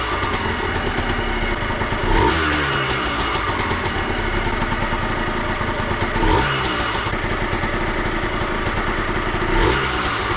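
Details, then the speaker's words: 2003 Yamaha Blaster two-stroke on its first start after a full engine rebuild with new aftermarket parts. Crisp, rapid popping at a steady idle with brief throttle blips and no rattle: healthy, tight idle. "all right she fired right up she sounds good she sounds nice and tight she idles right away everything checks out to be good"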